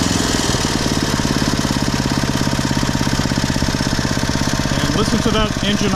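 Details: Poulan/Weed Eater VIP garden tiller, 5 HP Briggs & Stratton single-cylinder, 15+ years old, on old gas after tune-up (new plug, air filter, oil, mixture-screw adjustment): steady even putter about three beats per second, no longer revving up and down; normal idle.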